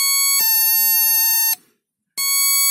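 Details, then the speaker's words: NE555 DIY electronic doorbell kit after assembly with a replacement 555 IC, on 9 V drawing 87 mA; pressing and releasing the button gives two frequencies, a clean piercing tone that holds, cuts out, then sounds again at a shifted pitch, working properly. "two frequency is generated."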